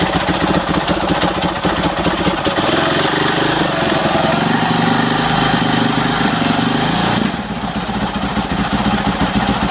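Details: 2006 Husaberg FE650 after Taffy's dual valve spring kit, new 70-link cam chain and tensioner: loud clattery single-cylinder idle with uneven mechanical rattle over the thump; noisy, source not pinned down.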